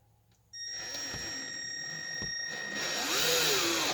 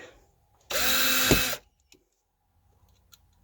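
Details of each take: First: Cordless drill driving screws into wood for attic hatch brackets on the spare battery: a steady whir whose pitch sags and recovers as the screw bites, the motor bogging down on a weak battery that was then changed. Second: Cordless drill driving screws into wood for attic hatch brackets after swapping from the weak spare to the main battery: a short burst of strong, steady full-speed motor whine with no sagging, running normally.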